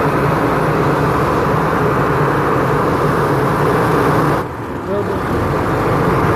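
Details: Isuzu FEZ280 six-cylinder diesel truck after its temperature clutch fan was refilled with oil; even, steady idle under a strong, constant fan rush, no knocks or surges; normal idle.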